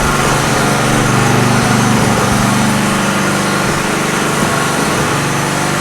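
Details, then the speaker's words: Generator running on a homemade tri-fuel conversion kit; pitch wavers and dips under load, as if fuel-starved: rough running. Owner suspects the hose's tiny inner diameter restricts fuel flow; unconfirmed. "does it work yes is it pretty terrible yes I think the main issue is this hose is Tiny on the inside I think this is our main restriction right here"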